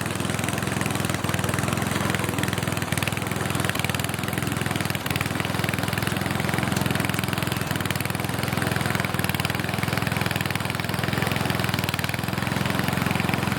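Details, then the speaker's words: Snowflite snowblower, donated, started by hand outdoors with fresh gas and oil slightly low: small single-cylinder steady, even chug, no knocks or hunting; runs healthy. "oh i think it runs pretty sweet i know it probably didn't look very impressive"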